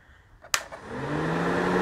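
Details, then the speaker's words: 2007 Polaris Sportsman 800 EFI radiator fan, previously mud-caked and overheating, now on fused accessory switch: click, then fan spins up to a steady even whir, no rattle or scrape; fan running normally. "go you can hear it running and now have the option of actually just turning that on so we'll see"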